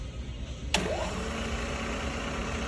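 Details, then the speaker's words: Sharp LCS 3-axis CNC vertical mill (2003) with ACU-RITE MILLPWR control: spindle spins up quickly, then a clean, steady hum with no grinding, rattle or bearing noise; spindle and head sound good. "Approximately 1,500 RPM. Spindle sounds good. Head sounds good."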